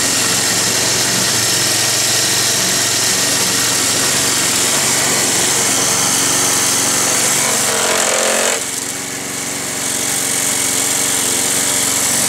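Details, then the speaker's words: Roadside-salvaged Nautac mower with Quantum XM engine in poor condition: high steady revs with coarse shaking rattle, then a dip in speed; heavy vibration, owner blames the rusted, weakened deck and a probably unbalanced blade. "bon ça vibre mais bon normal Carter est rouillé il a perdu sa structure et en plus la là mais elle est déséquilibrée sûrement vu la gueule"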